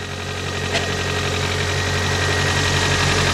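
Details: 1991 Toyota Corolla 1.6, first start after replacing the camshaft and crankshaft seals, timing belt, valve cover gasket and spark plug tube seals, with two quarts of 5W-30 added: a smooth, even idle with a steady low hum and a light valvetrain tick. Sounds healthy.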